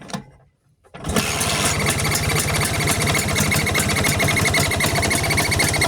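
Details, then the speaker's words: Vespa engine, carburettor suspected of strange noise: catches and settles into a busy idle with quick, fairly regular ticking and chirping about four a second; described as harmless, cause unclear. "Di dalam Vespa, terdapat banyak suara yang dihasilkan oleh mesinnya sendiri. Terdengar suara klik, suara dering, suara werewerewer, dan hanya suara teng teng."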